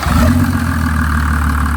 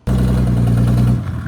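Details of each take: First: Mercedes 300D OM603 turbo diesel with Holset HY35 turbo, 7.5mm injection pump, EGR blocked, hot: idles low and even, climbs smoothly through a rev and settles back; clean, healthy exhaust note. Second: Mercedes 300D with an OM603 turbo diesel, fitted with a Holset HY35 from a 24V Cummins and its wastegate welded shut, before the old EGR hole is blocked. A loud, raw, unmuffled bark rises and falls on the rev. Exhaust leak from open EGR port.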